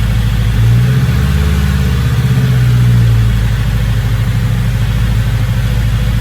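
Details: Engine with a big turbo, now idling a lot better, turbo not spooling: steady, even low rumble without hunting or hiccups; no check engine light, good oil pressure, smooth normal idle.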